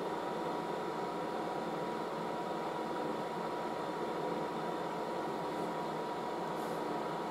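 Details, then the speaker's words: Late-1960s General Electric HD-8C bonnet hairdryer on medium, hose getting warm, called the quietest hairdryer: a smooth, steady airy rush with a faint even hum, no rattle, scrape or surging; normal running. "so the hose gets warm it's actually pretty quiet very it's the quietest hairdryer"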